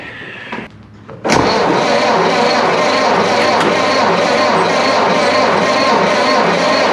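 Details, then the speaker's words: 1930s Ford Model A four-cylinder, idle for over 20 years, started with the floor push-button starter: after a short crank it catches and keeps a steady, even chug with no misses, sounding good. "all right so well that's progress she sounded pretty good actually"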